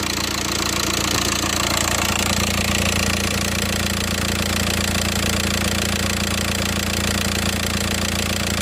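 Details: VW Passat 2.0 TDI PD (BHW) diesel after the DIY oil pump conversion, engine covers off: steady, even clatter at idle with a firm low hum and no extra knock or tick; the earlier sound is gone and it idles normally.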